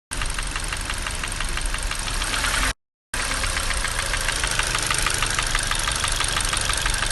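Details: Hyundai/Kia G4NA petrol engine at idle: a fast, even tapping from the top end near cylinder one and the exhaust camshaft, keeping time with engine speed. The chain and cam phaser have already been replaced and the phaser valve is good.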